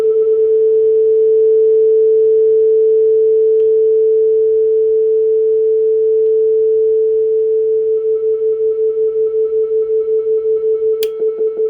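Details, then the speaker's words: Client's 1965 Ampeg vacuum tube guitar amp after repair (new power-supply capacitors, bridge rectifier, tremolo and reverb units): clean, steady test tone (400 Hz/1 kHz) into the speaker enclosure, driven loud with no hum, crackle or distortion; amplifier output normal. "So the basics seem like they're working. Can drive it fairly loudly here. Well, there you can really hear it."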